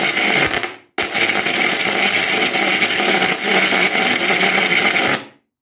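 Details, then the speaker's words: Yamaha A-460 stereo amplifier, right channel: harsh, irregular crackling and popping from the speaker, jumping when the front plate is tapped; cause is bad solder joints on the STK3042 MKII module, fixed by resoldering its terminals. "I was listening to this unit and suddenly I start to have this strange noise."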